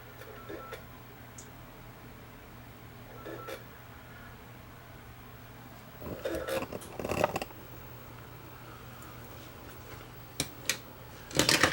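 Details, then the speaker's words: Sony RDR-HX750 DVD recorder with 160 GB hard drive, scratched disc inserted: short bursts of whirring and clicking every few seconds as the drive repeatedly seeks, never loads, then ejects; disc read failure. "we'll turn it on and see what it does and that's apparently all it does it just sits there and"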